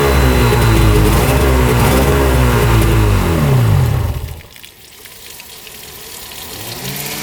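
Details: 1995 Tigershark Monaco 640cc two-stroke jet ski, unrun for over 20 years, brief first start without cooling water: busy, crisp revving that falls back to a steady idle and picks up again, running evenly. Normal running.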